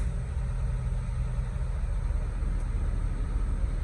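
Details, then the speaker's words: 2005 Mitsubishi Lancer 4G94 after transmission reinstall, stock air box fitted, no coolant yet: first start, steady, even low rumble with no knocks, ticks or misses; smooth, healthy idle, sounds like a new car. "Oh, sounds like a new car. Yes. Oh, that's great."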